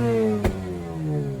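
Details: 2004 Mazda RX-8 rotary with a makeshift intake, started after sitting, on a very hot day (about 98°F) before warm-up: idle hunts and sags, pitch drifting down with sharp exhaust pops; it won't idle and keeps stalling.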